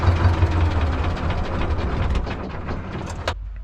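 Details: T-16MG self-propelled chassis tractor, D-21 diesel, after clutch adjustment with 2 mm release bearing gap per the manual: low, steady idle with an even beat and no knocking or grinding, then shut off. Normal idle.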